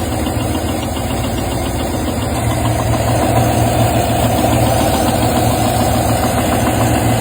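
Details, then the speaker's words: Idling GM V8 with rhythmic metallic tapping knock over the engine note, the start or progression of crankshaft or rod bearing failure. "Anytime you hear that rhythmic kind of metal knocking, tapping sound, it's not a light sound. It's definitely just the start or progression of the crankshaft or rod bearings."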